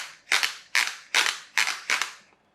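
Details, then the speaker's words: Chicco Jimmy Thunder toy RC car being converted to hobby grade, comparison gearbox from another toy: five sharp rattling bursts under hard throttle as the protective gearbox slip clutch ratchets; normal power causes no slip. "if I overpower it you can hear that clutch is slipping as well so normal power no problem do it too hard"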